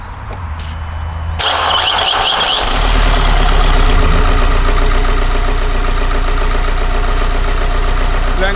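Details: Vauxhall Vivaro 2.0 diesel van after injector replacement and coding, breathers now fitted, intercooler pipes and MAP sensor not yet fitted: starts and settles to steady idle with rough, even knocking about three per second; knock persists, cause not pinned down.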